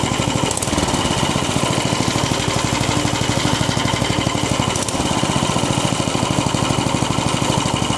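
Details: Vintage Tote Gote minibike after repairs: small single-cylinder engine popping at a steady fast beat, roughly three firings a second, running evenly with no misses.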